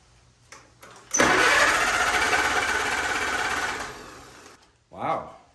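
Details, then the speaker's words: 1944 Allis-Chalmers B tractor, engine warm, broken in and oiled after sitting many years; starter test with plugs in gives a quick, even whirring crank for about three seconds, spinning the engine briskly. Starter works well, normal cranking. "not only does it crank it over but it spins it over fast so even though i'm not going to use the starter it's really good news to know that it works and it works well"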